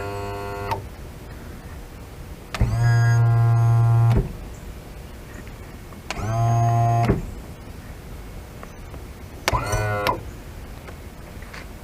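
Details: Restored 70hp Johnson outboard power tilt and trim motor, with intermittent up/down and weak feel, wired directly to battery; three even one-to-two-second runs, steady low hum starting and stopping cleanly; motor works smoothly.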